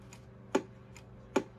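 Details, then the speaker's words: 1972–73 Pearce Simpson Cheetah SSB CB radio (same PC board as the Courier Gladiator), first power-up in over 20 years: two soft, crisp clicks about 0.8 s apart as the transmitter keys. Relay pop quiet and healthy, far quieter than a previous loud Gladiator. "that pop is not bad at all. That's honestly half."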